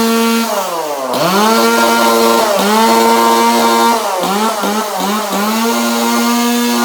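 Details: 2002 Husqvarna 136 chainsaw with a new carburetor, tuned, with a repainted muffler that had extra vents cut: clean, crisp revs rise and fall smoothly and return to a steady idle; runs healthy.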